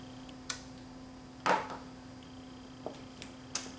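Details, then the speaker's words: Panasonic TC-32LX700 LCD TV with intermittent start (caused by grounds and interconnect plugs): at power-on the 24V supply comes up first, then the delayed 12V supply, and a single sharp standby relay click with faint hum; normal. "I turn it off. The 12vt supply is delayed. You notice and then the 12vt supply comes on. You'll hear the relay click."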